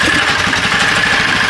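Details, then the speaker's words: Golf cart motor-swapped from an 8 hp Briggs & Stratton single, with a custom exhaust, idling cold; owner says it is cold-blooded. Quiet, quick, even putter with faint valve-spring ticking, a healthy idle. "But as you guys can tell, it's running, and it's not very loud."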